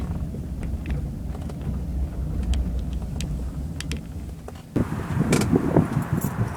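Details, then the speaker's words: 2001 Jaguar X-Type 2.5 manual, 107,000 miles, road test over a lumpy lane after replacing the rear top and lower control arms, anti-roll bar bushes and drop links. Steady road rumble with only faint ticks and no heavy clunks; only a very slight rear noise remains. "that was very satisfactory there's only a very slight noise coming out the back now"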